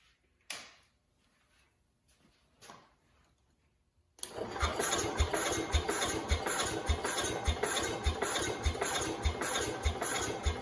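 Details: 1969 Cub Cadet 105 with a chronic hard-start problem, ignition newly grounded: steady cranking with regular compression thumps under two per second, never catches; cranks without firing.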